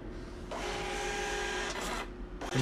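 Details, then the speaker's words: Birch receipt printer, driver installed, printing a Windows test page after a beeping error was fixed by closing the lid cover: steady buzzing whir of normal printing with no error beeps. "let's get another test print okay so as you can see it's printing well now windows printer test page"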